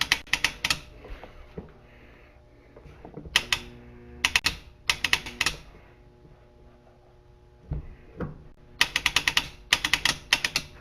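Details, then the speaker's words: Q-9000 winch off the vehicle indoors in freezing weather, powered by a 10 amp battery charger, winch-out test; quick bursts of sharp relay clicking with no motor spin, charger suspected too weak; motor not cranking. "But there is a definite difference in tone between the out and the in."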